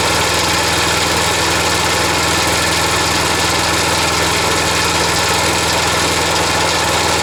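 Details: Wolf GTAB4M machine restarted after handlebar pivot and blade adapter repairs: loud steady petrol engine at fixed speed with a harsh rattle; the noise is said not to come from the engine, source not found.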